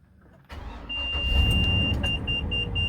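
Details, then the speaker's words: 2004 Itasca Suncruiser RV, fuel injected, 96K miles, after fuel filter replacement with the fuel pump primed three times by key: a quick crank catches into a steady low idle with a dash chime beeping; normal start. "we did it three times and then that fourth one all fired up"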